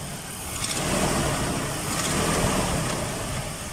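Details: Nissan Datsun after a no-start fix: there was no spark because of a broken small socket on the distributor, now repaired. The engine idles at a quiet, fairly even note with no misses or knocks.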